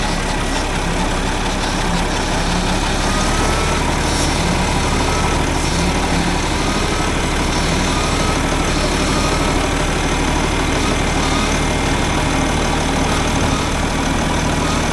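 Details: Tractor diesel after O-ring repair, topped off with oil and run to check for leaks: loud steady clatter and low rumble at even idle, no knocks or squeals; normal running.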